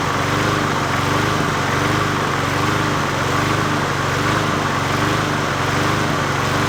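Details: 20-inch Murray push mower #20201D, after straightening a wobbling crankshaft and cleaning: a constant, even drone at steady speed with no knocking or wobble. It runs normally, though owner thinks it may be low on gas.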